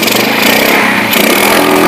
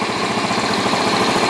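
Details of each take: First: Yamaha Jupiter Z single-cylinder with brebet and no power from mid to high rpm, after the carburetor was refitted with the needle lowered: fine at idle, but revving hard gives a ragged stumbling note with sharp exhaust popping. Backfire and misfire. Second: Yamaha Jupiter Z (misfires and backfires at mid-to-high revs) idling with the battery disconnected on a known-good regulator-rectifier: even, busy idle with no stumbling. The bike died without the battery on its original regulator, so the faulty regulator-rectifier is the cause.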